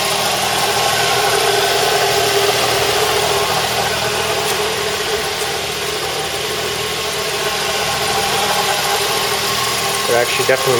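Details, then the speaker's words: Mazda 3 with car off and doors closed: constant, fast, slightly uneven light rattle from the front of the engine, traced to the accessory belt. "car is off can hear the noise already I would consider it a rattling sound"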